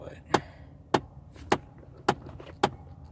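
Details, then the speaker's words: Car air conditioning switched off in summer heat: sharp single knocks roughly every half second, fairly even, engine quiet between, lingering a minute or two after switch-off; cause unknown. "I turned the air off and it still does that for like a minute or two more I'll keep it on until it stops"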